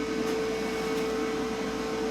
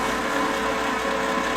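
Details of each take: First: Lincoln Power MIG 210 MP after drive motor replacement: steady hiss with a thin constant tone as shielding gas escapes at the gas block instead of the gun; owner is unsure whether the MIG gun or the flow meter is at fault. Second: Lincoln Power MIG 210 MP after drive motor replacement, dry feed with gas off and wire feed speed raised: smooth, steady constant-pitch whirring with no grinding or hesitation; the new feed motor sounds much better than the old one.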